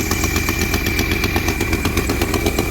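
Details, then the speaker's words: Car idling roughly with a rapid, even puffing tick and a thin whistle; owner suspects the rear exhaust gasket has blown again after being replaced once; the whistle's source is unclear. "um sounds like that rear gasket might have blown out again um which is kind of annoying because i had it replaced once already"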